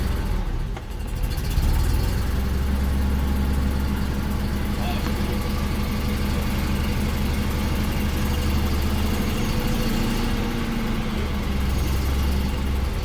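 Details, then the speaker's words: BMW 633 CSi Shark Nose under restoration (new high-pressure inline fuel pump, new fuel filter, refurbished original tank), first start after cranking, throttle slightly held then eased off; steady even low rumble, no hunting or misses. Normal idle. "She runs, baby. Not there yet. There we go. There she. She's not even on the gas."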